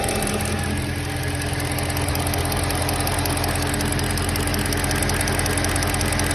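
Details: BMW M3 at idle: faint, fairly even tapping about 2.5 per second through a steady idle; strange noise, source not pinned down.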